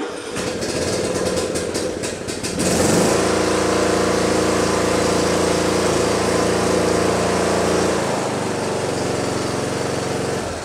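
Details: Briggs & Stratton Intek riding mower engine after repair of a broken camshaft decompression (compression release) cam that stopped it turning over. Quick cranking ticks, then it catches within three seconds and settles into a steady, even single-cylinder run; starts normally.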